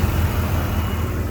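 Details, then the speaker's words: 1993 GMC Sonoma (S15) V6, idling just after a new distributor was fitted, computer unplugged to set timing: deep, even idle rumble with a steady low pulse and no misses; a bottle on the engine barely jumps, running smoothly. "It's not even jumping around. That's how good this thing was running when he came in. Well, it's running it better now."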